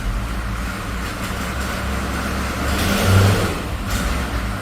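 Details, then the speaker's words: GMC with 6.2 diesel after an injection pump swap, two glow plugs stuck, no coolant in, still a bit smoky: clatter climbs smoothly under slow throttle and returns to idle, where it previously only snap-revved; a healthy rev response. "And it actually wants to rev, which is pretty good. Before, it'd just snap rev, but now you can actually walk it up."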